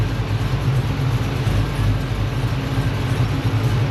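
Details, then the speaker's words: Supercharged LS-swapped 1969 Camaro with newly installed remote IACV, near operating temperature: deep, steady V8 rumble at even idle, no hunting, IAC correction dropping as idle holds. "went ahead and got it up the temp we're close to it you'll see the I start to drop down as it starts to hold his"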